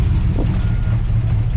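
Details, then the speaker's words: 1959 Plymouth Suburban Poly V8 with solid lifters, cold with little choke action: low, uneven idle wavering and sagging, struggling to stay lit and close to stalling; hard to start, runs fine once going. "She was hard to get her started, but once we got her started and run, it never really been a problem. She's going to stall it."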